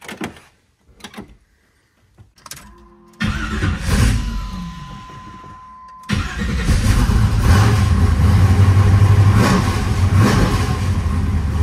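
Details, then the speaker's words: Restored 1976 Pontiac Trans Am with a roughly 500 hp 400 small-block Chevy, cold start: catches after a brief crank and kicks back, then lopes unevenly at about four pulses a second; rough idle, suspected too much ignition timing. "the cold start wasn't too bad and it didn't give too much trouble to keep it running however it doesn't sound right it sounds to me like the car has too much timing in it it doesn't have very good Rhythm"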